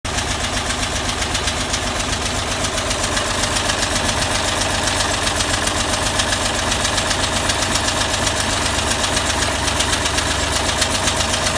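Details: Engine idling with quick regular ticking on top, about four a second, from pushrods not properly adjusted (valve lash); investigation also led to discovering a bad head gasket.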